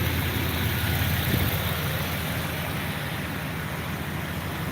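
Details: Stock 5.9 L 360 V8 truck with Mopar Magnum valve covers idles with a deep, steady low rumble and even beat, no knocks or misses; normal idle.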